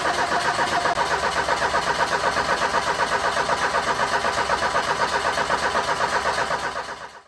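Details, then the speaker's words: 1984 Ford Mustang SVO, turbo four-cylinder, 5-speed manual: starter cranks steadily at about four compression pulses a second but never catches; no fuel reaches the front even after the external fuel pump was replaced. "Still haven't figured out why this thing isn't running. You guys have seen that we've tried to run a test with the fuel system. We're not receiving any fuel to the front."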